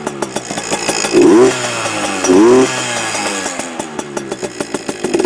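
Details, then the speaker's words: Heavily modified Yamaha PW80 two-stroke with FMF mods, slightly cold, idling around 2,300 RPM: a lumpy, popping idle with two sharp rev blips that climb cleanly and drop back. It is much louder than stock and runs healthy, so normal revving. "I think she's already open now well but she sounds a lot better than stock anyway um a lot more uh loud as you can hear yeah that's it good old Yamaha definitely better than the Chinese junk"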